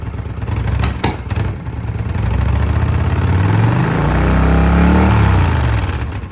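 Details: 2005 Kawasaki VN800C V-twin, about 130,000 km, after storage since about 2015: lumpy beat settles after handling noise, then rises with a brief throttle blip; runs as expected.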